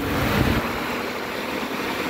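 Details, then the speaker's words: Car brought in for overheating, three-speed cooling fans tested at speed 2: loud, steady rushing whoosh of radiator fans at high speed; fan fault only suspected, relay swap possible check. "ahora lo vamos a poner velocidad 2 velocidad 2 arriba observen ahí tenemos abanicos los están viendo luego poner velocidad 2 arriba"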